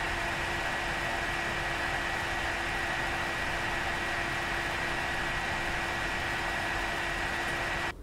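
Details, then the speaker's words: AMD R9 290X graphics card, blower fan set to 50 percent: steady loud whoosh of rushing air with a constant whine, no pitch change; noisy cooling fan. "okay uh even Buddy's reaction that was pretty funny he reacted as well you see even buddies oh wow that shit's loud"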